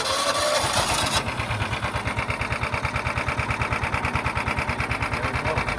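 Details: John Deere Gator 4x2, not run in years, started on choke: short crank, then fires and settles into an even, steady thumping of about three beats a second, running smoothly.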